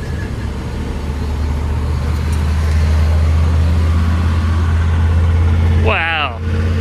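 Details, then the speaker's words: GMC 3500 V8 truck with an Edelbrock carburetor after retuning: deep, steady rumble with an even beat and no misses, now running flawlessly; slight smoke, which the owner thinks is burnt oil from washed-out cylinders. "all right guys that is awesome we got the thing running flawlessly now"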